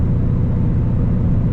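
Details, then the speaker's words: 4th-gen Camaro after poly mounts and a short-throw shifter, not fully warm, cruising at 55 in 5th at about 1700–1750 rpm: steady low drone with slight drivetrain noise, audible because the carpet is removed; no knocks or whine. Normal cruise. "1750 rpms maybe 1700 everything's smooth you can hear a little bit of like drivetrain noise back there"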